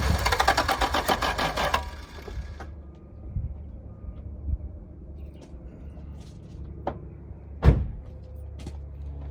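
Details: 1986 Toyota Supra, long-idle revival: rough, uneven running for about two seconds, then it quits to faint clicks; won't idle, no fuel pump cycle heard at key-on, owner suspects a dead fuel pump.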